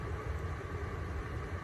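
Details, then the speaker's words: Coleman Mach 10 RV rooftop air conditioner on battery/inverter power after fitting a hard start kit, set to low cool at 85°F in a 90°F van: low, steady compressor and fan hum with no cycling or stalling. It runs normally without tripping the inverter. "Okay, so far it has kicked on. It has not tripped the inverter yet."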